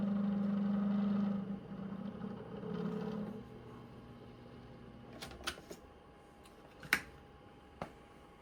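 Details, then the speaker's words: 9-inch Galaxy desk fan: a loud rough buzz with a dragging growl while running, easing as it winds down; the bearing is dry and needs oil, since running it this way would ruin the bearings. "Okay, that's a problem. So it needs oil."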